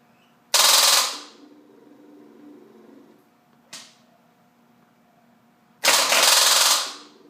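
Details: Buell XB motorcycle that won't start: two sharp, rapid clattering bursts of clicks with a brief tick between them each time the start button is pressed, and the engine never cranks.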